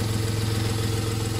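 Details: Steady, even low idle hum with no misses, knocks or whine; engine running smoothly and healthy.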